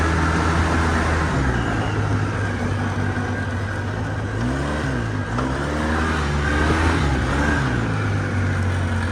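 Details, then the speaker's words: Polaris Sportsman 700 quad, long parked, run after jump-starting a weak battery: pulls cleanly through a few gentle rev swells and settles back smoothly, no stumbling or popping; running properly. "this is sounds good got to get up air pressure in there to get the uh fuel pump"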